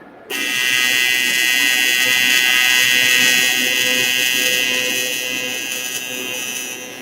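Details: Everlast TIG welder test run with Nova torch, standard cup and collet, gas at 12 CFH: arc strikes and holds a steady bright crackling buzz for several seconds before tapering off; normal, stable weld.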